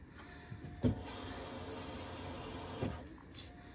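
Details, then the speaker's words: 2006 Pontiac G6 after fuel pump replacement, key cycled to prime: faint high whine for about two seconds, then cuts off cleanly. Normal fuel pump priming. The car later cranked, and a suspected fuel pump issue after the install was traced to crossed fuel lines. "so now what we're going to do is he's going to cycle the key and what that will do is start priming up the fuel pump so you can do it again Brian so you can hear it there it's priming up the fuel pump"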